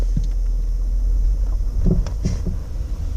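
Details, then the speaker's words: 2014 Dodge Durango Citadel Hemi AWD rolling slowly over a bump into a garage: dull clunks knock through the body; suspected sway bar link problem, with the sway bar links replaced. "clunking noise there so I did some research from what I can figure out these have a little bit of an issue with a sway bar linkage problem"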